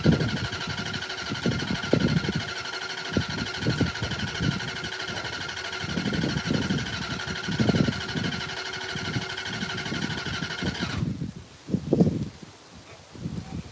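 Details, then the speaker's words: Old Mopar car with a fast mini starter and the wrong battery: fast cranking in short uneven bursts and never fires; owners suspect the fuel hasn't reached the carburetor, which acts dry. "Hopefully that's enough to bring fuel up to the butterflies. Go. That's acting like it's still dry. Down. Doesn't sound like you're going anywhere with that."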